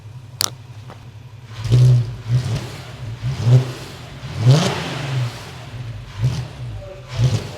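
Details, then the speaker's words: VW Passat R36 after restoration with a new dog bone mount, which stopped the engine rocking; no engine light and timing chain seemingly okay. Clean, even rev blips rising and falling with no knocks or rattles. "one big change the engine's no longer rocking around so that dog bone has done the trick"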